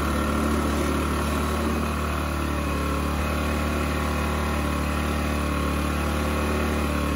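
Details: Toro 518 ZE snowblower after belt replacement, started to check that the auger stays still at idle with the drive disengaged: small single-cylinder engine with a steady, quick, even putter and no knocks or rattles, sounding healthy.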